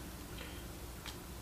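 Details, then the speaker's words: Stuck electric fuel pump being freed by reversing polarity and tapping with a slide hammer, suspected rust or varnish: faint quick ticking over a low hum as the motor just starts to turn; fuel pump ticking. "So I can hear it moving now in the actual, it's definitely moving or doing something."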